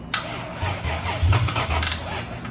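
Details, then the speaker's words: Lexus IS300 turbo build with rebuilt engine, first start attempt after almost a year: slow, labored cranking with low uneven chugs that almost catch; battery possibly charged on wrong charger settings, too weak. "Yeah, that battery's just smoked, dude."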